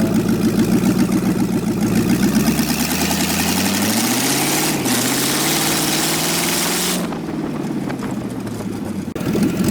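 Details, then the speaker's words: LS V8-swapped Miata kart on its original tune, just unlocked: revs rise and fall with a slightly uneven, hesitant beat. The engine stumbles because it runs without oxygen sensor feedback. "that's the original tune just unlocked right there so okay that's not uh it's still stumbling a little bit because we"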